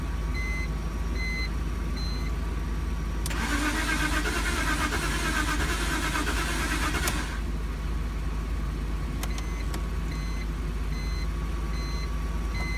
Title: No start e46